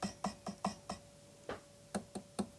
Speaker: oh I can tell that one's already that one's very rattly